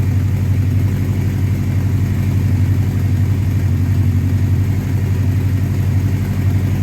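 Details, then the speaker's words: 1984 Honda CB700SC Nighthawk four-cylinder after carb cleaning, fast idle about 1400 rpm, slightly high, held while warming up to clear fouled spark plugs; steady even low thrum, no misses or knocks, healthy. "all right that's right about 1400 that's a little bit 1400 RPMs that's a little bit high but I'm just going to run it like that for a little while guys let it warm up"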